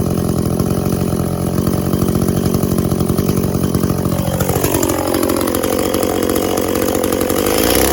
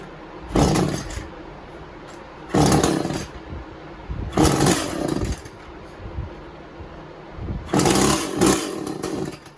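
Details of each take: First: Echo CS400 chainsaw after OEM oil pump replacement and carb tune, cutting white oak: screams at high revs, pitch drops and holds steady as the chain bites, pulls cleanly without bogging; chain sharp enough, dug in under own weight; normal cutting. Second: Echo CS400 chainsaw, first start after OEM oil pump replacement: short revving bursts every two seconds with rough uneven idle between; owner suspects it flooded.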